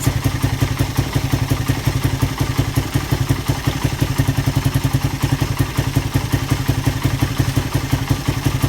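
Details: Suzuki Satria FU single after repair of compression loss caused by a badly leaking valve oil seal, with a new piston: a steady, even idle thump of about three pulses a second with no knock or misfire; running healthy.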